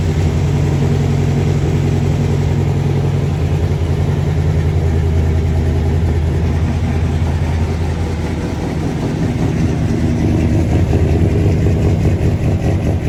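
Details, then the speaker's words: Normal idle of a big-block V8 in a squarebody truck ("Brown Bear"), started after a possible dead battery. A deep, steady rumble with an even beat and no misses, knocks or ticks; it sounds awful good. "Got the big block running. Thing sounds awful good."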